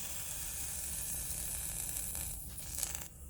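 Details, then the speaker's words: Airsoft gas pistol magazine (MK23/Glock type) just filled with gas. A continuous hiss of escaping gas fades over a few seconds; the leak is from a dried-out base plate rubber seal. "i'm just gonna put a bit of gas in there yeah we can hear that one leaking quite"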